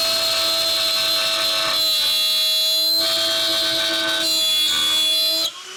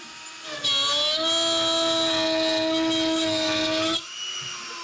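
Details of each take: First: Shapeoko Pro CNC router pushed past recommended feeds and depth of cut in wood: loud high-pitched screech over the spindle that grows louder in bursts as the pass digs in, showing the overloaded bit is struggling. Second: Shapeoko Pro CNC router during feed and speed redline test, passes getting faster: steady high spindle whine with clean even cutting tone, no chatter or bogging, then smooth drop to idle; normal cutting.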